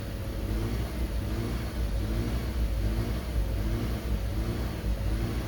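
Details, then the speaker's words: 2013 Dodge Avenger with earlier hard starting and overheating, after work including thermostat housing: idles smooth about 800 rpm, but with throttle held steady revs swell and sag about 200 rpm rhythmically; rpm hunting, cause not yet found. "but if i rev it up and keep my foot on the gas constant see how it goes up and down about 200 rpm"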